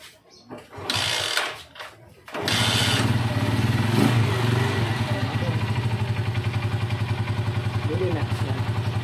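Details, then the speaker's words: Rusi 125 single-cylinder motorcycle that stalled and hard-started when hot, after faulty stator/pulser found and addressed: starter catches, settles at once into steady even putt-putt idle; normal idle. "okay lang siya hindi hard starting dahil nakita na natin yung issue."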